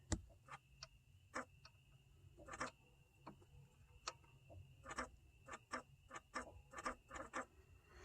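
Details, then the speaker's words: 1998-up Chevy S10/Blazer 2.2L idling while broken coolant temp sensor wire is moved: sharp uneven clicks coming and going in bursts as throttle position moves back and forth compensating faulty temperature signal (reads -40); intermittent ticking, possible P0118 issue. "so if you could hear that what that is actually is throttle position sensor is actually moving back and forth to accommodate for the faulty temperature signal"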